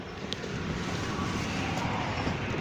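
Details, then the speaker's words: Grangemouth plant flare stack with steam injected into the flame, recorded by phone at the back of the complex: continuous deep roar like a jet taking off, even without pulsing; normal flare stack roar. "I don't actually know if my phone's picking up that sound. It sounds like basically like a jet taking off. That's the noise of the flaring that you can hear."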